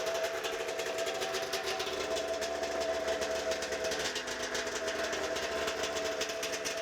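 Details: First start of a pull-start 1992 Arctic Cat snowmobile two-stroke after ignition and safety switch repair, with choke used and no carb cleaning; it smokes a lot. It runs steadily at idle with a constant buzzy note and even firing pulses, no misfires or stumbles.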